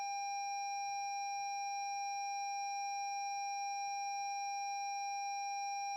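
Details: 2017 Lexus NX 200t with new battery after a reversed-polarity jump-start sparked and sounded the horn: steady unbroken high warning tone, no engine; starter won't crank when start button pressed; locks, signals, high beams work, fan, parking brake, transmission dead.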